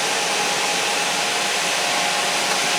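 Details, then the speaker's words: Vulcan WCP-350 washer compactor control panel during factory testing, microphone moved close inside the panel: cooling fan manually tripped on gives a steady even airy rush with faint constant tone, no rattle; normal fan operation, thermostat-controlled. "Going to manually trip your fan on. Move you in closer, hopefully so you can hear that the fan is running."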